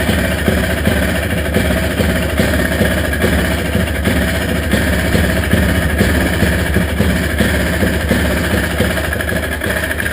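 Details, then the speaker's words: Honda Odyssey FL350 buggy, first start after its carburetor was cleaned of a clogged main jet and slow-speed jet; it starts first time and settles into an even, steady idle with a low rumble, no misses or surging. Normal idle. "all right it's running it's odling"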